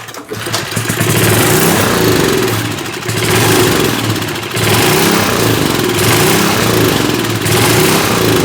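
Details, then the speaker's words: 1970s Hahn Eclipse BHT-120 tiller with a 3.5 hp flathead Briggs & Stratton, long neglected, running on fresh gas: it rattles along with revs swelling and sagging every second or two. Rough, hunting running from a mixture needing precise adjustment. "All right, so it just seemed like we needed the absolute perfect air-fuel mixture, which is going to be weird because as the temperature fluctuates, that's also going to need to be adjusted."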